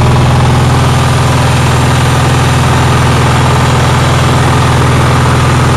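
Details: Onan generator, cold day, after a fuel pump voltage fix: steady, brisk, even thrumming with no surges. The owner says it idles too high; cause unconfirmed.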